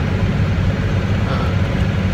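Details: 1996 Dodge Cummins diesel pickup with NV4500 manual transmission, test drive after installing a reman transmission to cure knocking in all gears but 4th: steady low drivetrain rumble, no rhythmic knock; transmission now smooth and healthy.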